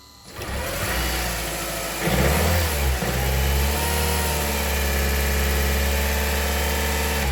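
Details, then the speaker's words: Honda Civic with seized AC compressor that caused a no-start, belt removed: short crank, catches cleanly in about two seconds and settles into a steady idle; starts normally once the compressor is disconnected. "all right in fact it does so that was the problem that's crazy"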